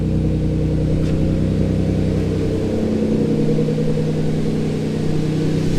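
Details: Twin-turbo Ford Capri after lowering the throttle set screw; steady low, even rumble at a fairly settled idle, now close to target though still a smidge high.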